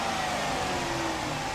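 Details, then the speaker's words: Dodge Charger Pursuit V8 after water was found in the fuel, revved: strong, steady roar held at higher revs without stumbling or cutting out; sounds as it should, fixed. "That's great. Sounds like how it should."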